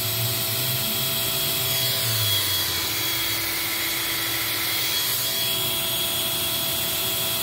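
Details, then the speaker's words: Eureka 402 Superlite small vacuum rated 2 amps, unit with the good filter, during the nozzle airflow test: constant high airy rush with a faint steady motor whine and no rattles or pitch dips; normal running. "you know for a machine this size that's not bad"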